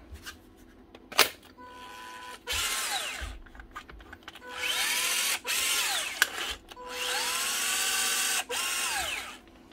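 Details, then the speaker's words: 2014 Makita DTD146 cordless impact driver: short trigger bursts of clean motor whine winding up and back down with no grinding or slipping; on trigger release the motor itself runs in reverse. Normal operation. "once you let go to the trigger you hear the motor actually wind back that's not the pressure pushing the motor back that's the motor actually running in the reverse"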